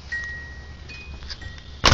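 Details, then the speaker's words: 1982 Datsun 280ZX 2+2 T-top, original unrestored car: a clean, steady electronic chime that briefly shifts pitch, then a thump; the door-ajar chime works normally. "the power antenna works uh pop the rear hatch here the door chime works"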